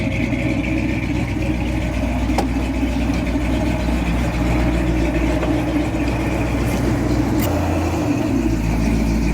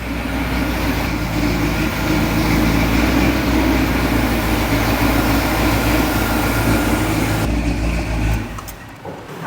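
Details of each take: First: 40-year-old Jeep J10 Honcho, run after 20 years sitting in a barn, with rebuilt carburetor and tune-up; accelerator-pump return spring still missing. Steady low idle with an even pulse, no stumble, a couple of faint clicks. Normal idle. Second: 1978 Jeep J10 Honcho V8, sat about 20 years, first run on its carburetor: loud, lumpy, wavering running then dropping away, won't hold idle; weak throttle and accelerator-pump springs found, vacuum leak questioned.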